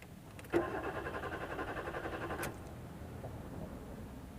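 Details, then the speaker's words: Maruti Suzuki Swift Dzire: starter spins the engine evenly for about two seconds but it never catches; crank no start blamed on a faulty ECM with no communication. "तो यह cranking तो हो रही है लेकिन यह गाड़ी start नहीं हो रही है"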